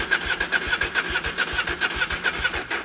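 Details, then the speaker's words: KTM 790 Adventure after MAP sensor replacement and boosterplug removal, first start in days: about three seconds of even, rapid cranking that never catches; started once, now cranks but won't start, fault persists. "yeah so that's not it that's not it started one time so that's unusual because normally it starts then the next time you go to start it it starts right away it's not starting oh my god"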